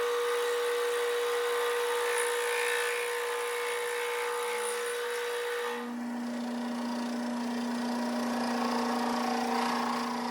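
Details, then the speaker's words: Vintage Craftsman 109 lathe cutting a 1" UNC decorative nut: a steady ringing squeal that drops in pitch partway through the cut, tool chatter leaving striations, not terrible. "Um I don't know if you can hear the chatter cuz I turned the volume way down, but it was some good chatter. Not terrible, but hey."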